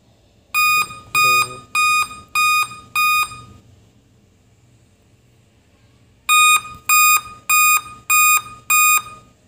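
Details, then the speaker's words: Laptop with Windows still working: five sharp high beeps, about three-second pause, repeating continuously; five-beep POST alarm, date and time setting problem also reported. "यह लगातार beep की आवाज है"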